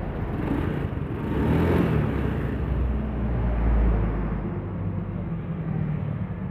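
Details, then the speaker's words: Honda Beat FI, engine rebuilt after knocking caused by late oil changes (suspected scored piston): low even rumble with steady beat, no tapping or clatter as before teardown; normal smooth idle. "Udah nggak ada suara teketek-teketek kayak sebelum dibongkar."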